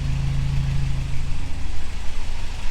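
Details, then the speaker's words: 1985 Toyota 4Runner 22R four-cylinder after the rebuild, with the timing rechecked: deep, steady idle with a faint lope as revs settle, no knocks or misses. Healthy. "I think that sounds pretty good. I'm pretty stoked. Heck yeah!"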